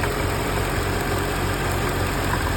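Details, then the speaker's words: Engine idling with a light rapid knock over the steady hum, from a worn belt tensioner pulley; removing the serpentine belt isolates drive-belt components. "first step I would typically say is remove the serpentine belt and if the sound goes away it is something on the drive line it's either a tensioner a pulley could be an alternator could be a pump could be an AC compressor"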